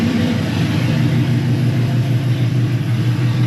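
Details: 1972 Chevrolet Impala, parked for severe misfire, points filed twice, timing being dialed in: low rumble idling unevenly, loping about three times a second and not settling; running rough but closer, cause unconfirmed.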